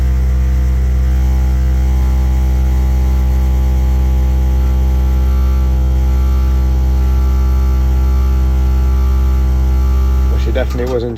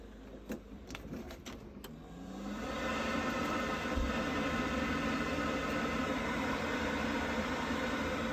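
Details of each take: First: Five-year-old Worcester Bosch 30i ErP gas boiler firing with a loud deep droning roar, reported as banging, because the air intake silencer at the back was missing. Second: Worcester Bosch 30i ErP boiler, about five years old, after refitting the missing air intake silencer at the back: a few light clicks, then it fires and settles into a smooth, steady whoosh with no banging.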